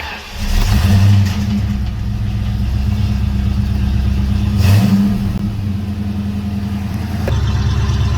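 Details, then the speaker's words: 1992 Mustang GT 306 Foxbody V8, first start just after a homemade H-pipe was built, now much quieter than before: deep, even rumble with two clean rev blips settling to steady idle. Normal V8 exhaust note. "It's definitely way quieter than what it was."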